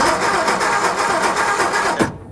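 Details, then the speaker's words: 1960 Ford F-350 sat 34 years, cranking: starter spins engine evenly for two seconds with no firing; spark tester shows no spark from coil due to corroded points, fixed by fitting new points. "So, we either have a points issue, which is really easy to check. Yeah, we are getting no points. No spark former points."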